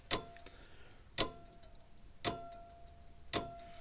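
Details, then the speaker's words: Old Sears mechanical points-type electric fence charger, still working: sharp, even snaps just under one per second, with occasional arcing as the contact snaps against the plate; owner suspects dirty points or a dirty plate underneath. "But I can hear it arcing down every once in a while when it snaps against"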